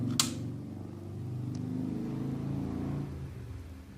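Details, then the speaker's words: Cheap aftermarket fan on a newly installed Jagg 10-row horizontal oil cooler, 2009 Harley-Davidson Ultra Classic Electra Glide, switched on with ignition and auxiliary button: soft steady hum with faint whir, no rattles; fan working. "there's a fan that I added onto it. If it doesn't work, that's okay. It was only a $7 fan."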